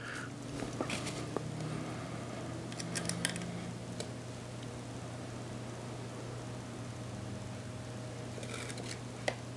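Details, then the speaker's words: Lenco L75 turntable motor after adjusting the nose plunger screw and backing it off until the grinding stops. Faint steady low hum with light handling clicks; it runs almost silently. "we go anyway you can't even tell it's on"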